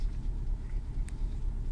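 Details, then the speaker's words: Renault Clio 2 1.4 16V petrol, cold, idling around 1000 rpm. The idle is rough and lumpy at about four beats a second and the car shakes. The engine light flashes, the scanner shows a cylinder 1 misfire, and a new spark plug didn't fix it. "donc là le moteur il est sur 1000 tours mais si vous voyez donc moi qui est dedans la voiture la voiture tremble"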